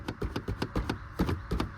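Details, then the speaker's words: 15-year-old Maruti Suzuki A-Star, 40,000 km: hollow plastic clacks about four times a second as the damaged front bumper is shaken, loose and poorly fastened, screws need tightening; loose bumper rattle. "नया रूप, क्योंकि यह इसीलिए यह इस तरह हिलता है। नहीं? यह देखो, यह शोर करता है।"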